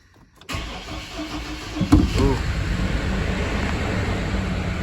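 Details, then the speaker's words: 2006 GMC Envoy, idle after codes were cleared (P0017 seen earlier, cam actuator suspected): starts better but idles rough and lumpy at low RPM; owner suspects the crank sensor, cause unconfirmed; rough running. "A little bit better start um still feels kind of rough so I might try to replace that crank sensor huh okay clear the codes still running rough"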